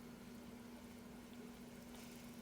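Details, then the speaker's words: Curado DC baitcaster reel about 4 years old, after cleaning off dirt and green muck: a quiet, even whir as the handle turns, no grinding, clicking or catching, much smoother; normal reel retrieve. "Plus, I've tried reeling it a bit, and it sounds a heck of a lot better too."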